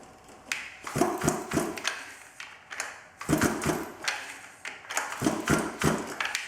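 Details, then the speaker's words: 110cc off-road pocket bike after sitting at least two years, key on, choke on, primed; repeated rough pull-cord cranking in bursts that never catches. Cranks but won't start. "well no luck yet and check out this on the handle"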